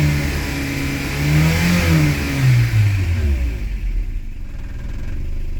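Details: 1990 Toyota pickup/Hilux, 22RE engine, freshly rebuilt: climbs smoothly through a rev then falls back to a steady idle, no stumble or hesitation; now starts right up and runs normally, idle and timing still to adjust.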